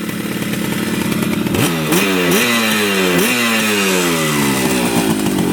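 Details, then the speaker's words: 1975 Yamaha RD200 two-stroke twin, first start after 20+ years in a barn: crisp, buzzy note rising and falling cleanly with each blip, both cylinders even, idling right at 2000 rpm; running healthy. "it doesn't get much better than that idling right at two 2 000 RPMs wow sounds amazing first start idles perfectly"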